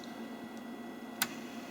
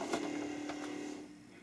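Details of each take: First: Commodore 1541 disk drive, whose fault was a red LED staying on and the spindle running continuously; booted after swapping 6522 chips. Steady faint whir with a single sharp head click at power-up, then it settles; normal boot. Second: Commodore 1541 disk drive at power-up: the spindle motor hums steadily for about a second, then winds down and fades. It sounds different from a normal drive, cause unclear.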